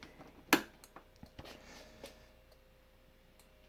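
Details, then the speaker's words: Motorino XPH scooter, ignition on, turn signals and hazards off, just after batteries were reinstalled: sharp relay-like flasher clicks every second or two over a faint electrical hum; the signals themselves work and the cause is unknown. "works nothing wrong with it but for some reason that keeps clicking and it's the turn signals obviously"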